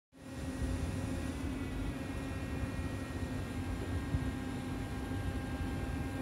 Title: Noisy Class 707 Air Intake